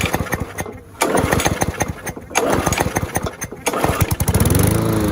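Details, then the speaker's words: Curbside-rescued MTD mower, just after bending the speed tab to raise engine speed; uneven pulses settle into a faster, steady, even beat, and owner says it sounds better; normal running. "that sounds better awesome so we'll do that"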